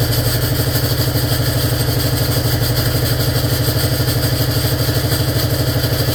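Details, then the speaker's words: 1947 BMW R35 started after sitting for years: steady, even clatter at idle, about three knocks a second, from the gearbox while the engine runs fine; cause unknown; gearbox rattle at idle. "The gearbox sounds just terrible. I don't know what's what's wrong."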